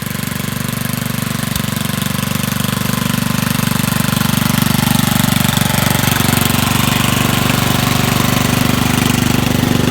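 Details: Dump-find Rugg carpet-cut tractor driven outside under load; muffler toast, owner expects less backfire with new muffler. Even regular chugging about three and a half beats a second holding steady under load; normal running under load.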